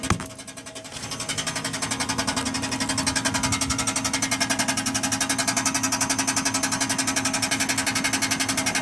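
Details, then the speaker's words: 1996 Chevy Impala SS with LT1 engine: fast, constant metallic rattle over the engine note. It first rattled only on acceleration, stopping when coasting, but became loud and continuous after a hard highway run; seems to come from underneath, source unknown. "Sound like it's coming from the bottom. Yeah, so that's that noise. I don't know where it's coming from."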